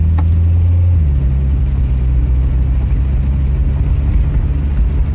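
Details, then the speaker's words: Car after reinstalling OEM suspension parts in place of aftermarket ones: steady low road rumble over a bump with no knock, clunk or rattle from the corners; suspension tight, no rattle. "still no rattle sounds pretty good to [Music] me bumps no rattles"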